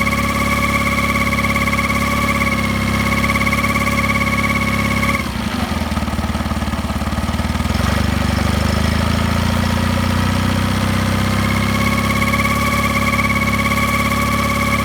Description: Mercury 9.9 Pro Kicker is making humming noise at low rpm.